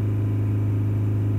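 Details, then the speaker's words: 2006 Toyota Prado 120 diesel, automatic, just under 200,000 km; the client thinks it is noisier than it should be. Held steady at 3000 rpm during a fuel-pressure test, pressure a little under its target of about 67: a steady, deep, even drone with no knocks. Engine normal. "the other test is holding it on 3,000 roof so we'll do that just getting it up there and hold it steady and support the auto really steady"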